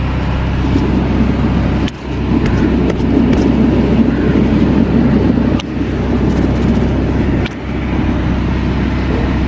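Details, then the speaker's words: Wheel bearing noise while driving: a constant low "marr" drone holds steady under the road noise. A worn wheel bearing like this makes the tyre wear unevenly on one side, and the inner edge of the tyre is visibly worn. "கேக்குதுங்களா மர்ன்னு ஒரு sound கேக்குதுங்களா இப்படி ஒரு sound கேட்டுச்சுன்னா இந்த வண்டி ஓட்டுறதுக்கே நமக்கு பிடிக்காதுங்க சரிங்களா இந்த மாதிரி வீல் பேரிங் நாய்ஸ் வந்துச்சுன்னா டயர் வந்து ஒரு பக்கம் சொட்டை அடிக்க ஆரம்பிக்கும்"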